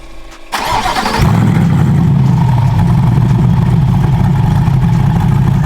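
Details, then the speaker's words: C8 Corvette E-Ray with a built 427ci LT2 V8, cam and twin turbos, first start on a base tune; brief crank, catches cleanly and settles into a steady, even low idle rumble, data looks good. "First crank, so far so good. Data looks good."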